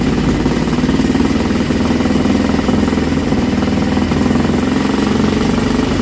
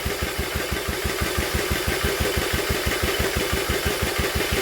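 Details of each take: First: Old Villiers single-cylinder engine on a bench, on choke, drill-started: loud, steady buzz with no misses or surging, running properly; kill switch failed because its contact was painted over. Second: Old Villiers engine, cranked by drill on flywheel: even turning-over beats about three a second with no firing or catch; no fuel drawn because carburettor jet blocked.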